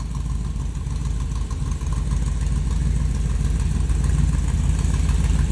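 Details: 1994 T-Bucket with small block Chevy V8, 4-barrel, Edelbrock intake, headers and side-exit exhaust: deep, even rumble with a steady loping beat about three pulses a second and no knocks or rattles, a healthy idle.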